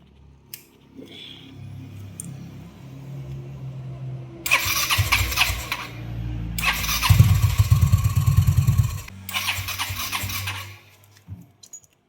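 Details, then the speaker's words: Yamaha Mio MXI scooter that wouldn't start after fuel pump and IC replacement; fault traced to wiring harness where white and red wires touched, repaired and rewired to full wave: three starter bursts over faltering rumble, hard starting before settling into a steady idle. "Hard starting Yan. So ayan yung nakita niyo hard starting siya nung una no."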